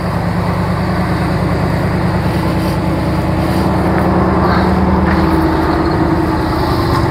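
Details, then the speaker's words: 1987 Cadillac Allante right after a fresh tune-up that replaced likely original spark plugs: starts right up, steady, even low rumble with no knocks, ticks or stumbles; idling smoothly and healthy. "there she is started right up you know fresh tune-up"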